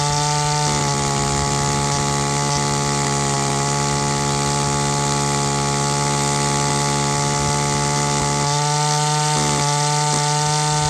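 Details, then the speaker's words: Echo SRM-225 two-stroke trimmer with a barrel-style carburetor at full throttle: the tone changes from a rough four-stroke-like sound to a smooth two-stroke buzz as the high-speed mixture screw is turned in, leaning the rich mixture. "the tone of the engine change from that sort of ruff that ruff four-stroke sound to the smooth two-stroke sound just by turning in that screw it it leans out the amount of gas that gets mixed into the air"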